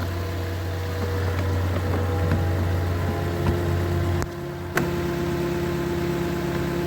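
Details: Lexus LS 460 with the 1UR 4.6L V8, after replacing the leaking high-pressure fuel pump gaskets, no leaks found. Low, smooth, even idle with a steady drone and no knocks or stumbles, apart from a couple of handling clicks, healthy.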